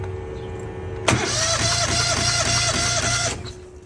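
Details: Truckmount carpet cleaner small twin engine cranked during compression test (about 120 on one side): starter spins engine about two seconds with even chugs around three per second, no firing.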